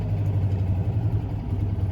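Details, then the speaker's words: Citroen 2CV, cold engine, manual choke pushed in too far: low, lumpy idle with uneven beats and dips that sounds about to cut out; not warm enough to run with that little choke. Cold engine spluttering from insufficient choke. "because the engine is not warm enough and you'll see that it starts to splutter and that's again it's not it's happy place it's not warm enough to run with that little choke"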